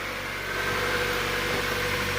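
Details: 1999 Miata with 160,000 km that had a no-start with spark but no fuel. Fixed by fitting a low-km used fuel pump and sender unit. Now a smooth, even idle with a steady low hum, no knocks, misses or hunting.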